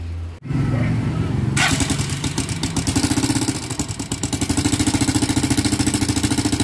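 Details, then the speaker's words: Engine noisy right after fresh oil change, top-end noise: starts into loud clattery idle with fast rattly tick on top; oil passage tested clear yet oil not reaching the head, dry top end from oil starvation. "So okay, ngayon nandun pa rin tayo sa hindi umakyat yung langis. So sabi ko paandarin lang natin, tapos para masabi na natin, madetermine na natin kung ano yung problema."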